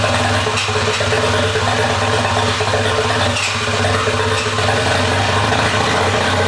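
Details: Mazda FD RX-7 rotary, rebuilt after losing compression, first start after engine install: loud, raspy, unmuffled buzz, steady and smooth with no stumbles; runs fine at idle, just open without an exhaust fitted.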